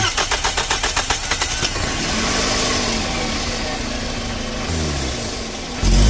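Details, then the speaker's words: 2nd-gen Scion xB engine cranks, catches and revs with a sharp hissing puff over the exhaust, RPM pulsating and power loss on acceleration; exhaust leak at the flange gasket between exhaust manifold and pipe. "all right guys so this right here is where um my vehicle is leaking exhaust okay um this is called the exhaust flange uh gasket that's in between here it's between the exhaust manifold and the actual exhaust system or the pipe"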